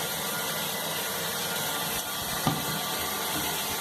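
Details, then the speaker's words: Dauntless Rubberline high-level well-bottomed cistern, water turned back on: steady uninterrupted hiss with faint gurgle, no leaks found; normal cistern refill. "So yeah, now I'm going to turn the water back on. And obviously check for leaks as well."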